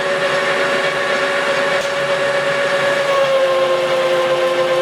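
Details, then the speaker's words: Lathe roughing a replacement shaft for a Vermeer 1800-A chipper (110 HP John Deere turbo), broken into three pieces; diameter going from 4 in to 3 in at 300, 50 per side, feed stated "around 25,000 per revolution," coarse. Continuous high chalkboard-like scraping squeal over the spindle hum. Normal cut. "we're right around 25,000 per revolution in here pretty coarse you can hear it it's almost like a chalkboard"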